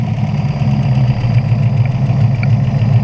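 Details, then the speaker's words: 1968 Buick Skylark 350 V8, abandoned in a forest about 40 years and freed from seizure, after its knock went away: low, steady idle with a deep, even burble and no misses or knocks, running sweet. "Listen to that thing idle now. She's just running sweet."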